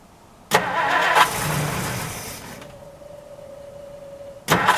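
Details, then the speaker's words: 1960 Plymouth Fury unused for years, cold start on stale gas with some fresh gas added: a short crank catches into a rough, uneven run, then more cranking. Blamed on old gas, a non-working accelerator pump and a misset choke. Afterwards it runs well without missing. "he can smell its old gas still oh well between the old gas the accelerator pump not working and the choke not being set up properly"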